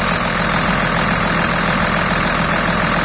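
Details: 2000 Dodge Ram Cummins diesel, short idle after the AC compressor pulley was bypassed using a 65" non-AC serpentine belt: steady, unbroken clatter, no belt squeal or slap; running normally, normal idle.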